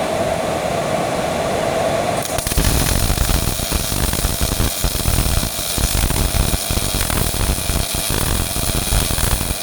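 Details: Miller-Matic 251 MIG welder at 21 volts, 366 wire speed, welding pipe fittings: crisp even frying crackle starting after two seconds and holding steady; normal smooth arc.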